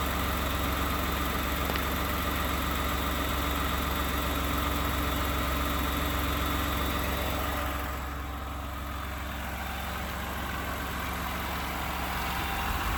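Steady idle with a fast, even rattling tick over the engine drone, about two or three per second; knock at idle, cause unknown.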